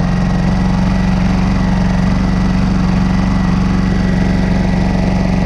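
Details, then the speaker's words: New Honda EU2200i inverter generator on eco mode, stock NGK plug gapped to .024 as the fix for choppy rough idle: steady even putter, about 200 pulses a minute, no stumbles or misses; smooth normal idle. "i will fire the engine for you so you can hear the idle how smooth it is so this is with a proper spark plug gapping at .024 on this ngk stock plug that they use"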